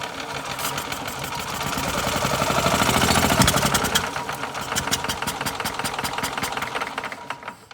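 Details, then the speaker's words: Older Yamaha golf cart engine, sat unused a couple of years: catches on a shot of carb cleaner into the carburetor with a little backfire, ticks over unevenly then fades out; runs only when fed fuel, fuel starvation. "A little backfire. Alright, so it will run if I get some fuel to it."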